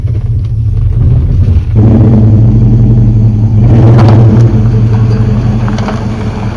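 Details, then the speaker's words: LS-swapped 1987 C10 pickup on test drive after fixing limp mode (only 3 gears, starting in 2nd): engine pulls under throttle, revs drop and rise as the automatic upshifts twice normally; transmission appears fixed. "All right, it shift twice just now. So I think that's it."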